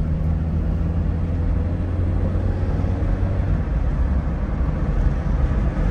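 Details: Opel Ascona convertible (Luxus trim) driving with top down on a hot day: steady low road and engine drone, no knocks or rattles; soft-top frame sits tight and quiet, normal with no rattle.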